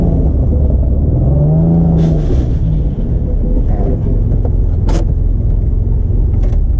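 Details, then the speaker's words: Turbo Probe after 14 months sitting with possibly bad fuel, first drive around the block: low uneven rumble with stumbling, lumpy beat under light throttle and a lot of smoke; losing cylinders, oil pressure fine, owner suspects something mechanical. "Not right. That doesn't sound good at all. Alright. This is a disaster. Losing cylinders."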